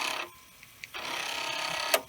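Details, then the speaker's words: Commodore 1541 disk drive in an endless test loop stepping the heads from track 1 to 35: buzzy head-stepping bursts with a sharp clack at the stop; passing repeatedly, about 10 times without failing, sounding healthy. "quite a few times in a row so it reads in it right and it reads and it writes back and forth so it is possible that giving this drive a workout is actually helping because now it is not failing"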